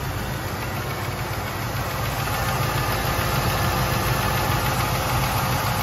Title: AMC 360 tapping noise. 1984 Jeep Grand Wagoneer